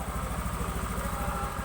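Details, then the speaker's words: Honda Beat FI scooter after bore-up and tune-up, previously misfiring (brebet) from a lean mixture read by the O2 sensor: now idles with a low, steady, even putter, no stumbling. "Nah ini sekarang mesin Alhamdulillah sudah aman ini sekarang keadaan oke Ada and running karena ini baru selesai melakukan tune-up"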